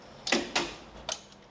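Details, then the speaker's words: John Deere X350 mower no-start: two quick sharp clicks then a third about half a second later as a test circuit breaker trips when the red power wire is plugged into the shorted control module; breaker tripping from shorted module. "Now as soon as I plug this thing in to the module under here where it goes, if you listen, you'll hear that circuit breaker trip."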